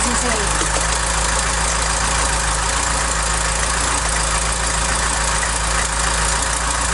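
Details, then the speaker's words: Mk3 Ford Cortina Estate carburetted engine at steady idle before the exhaust manifold nuts were tightened. A light, quick tapping rides over the engine note; an exhaust manifold leak is suspected. "but i did put my fingers there and i could feel gases expecting you know it being expelled so that would create a noise in its sound tapity"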